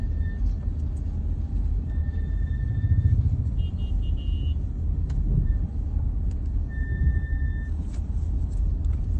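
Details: BMW 3GT F34 at 25,000 km, braking at low speed: a thin, high whine rises above low road rumble; it returned a couple of thousand km after front pads were changed, calipers greased and fluid bled.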